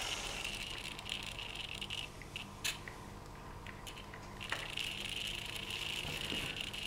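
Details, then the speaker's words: Digital servo with a FrSky 2.4GHz telemetry Tx/Rx combo on a JR X-3810 transmitter, meant to sit still: faint constant high buzz with scattered ticks; RF from the telemetry transmitter is causing chatter; unclear whether pickup is via the lead or directly in the servo. "okay so both chattering away I'm still going so the question is is it coming up the lead or is it actually RF pick up directly in the servvo"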